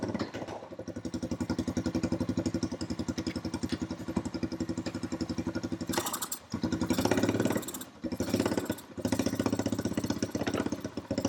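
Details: Honda TRX350 ATV single-cylinder after carburetor cleaning, won't rev up: idle pops unevenly, stumbles and dips instead of picking up; owner suspects valves need adjustment or too little back pressure for the carb slide to lift.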